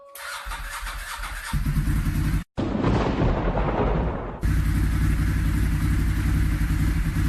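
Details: Ducati 996 first engine start after months-long rebuild; cranks, fires and settles into lumpy twin idle, then blips cleanly without knocks; normal start and revving.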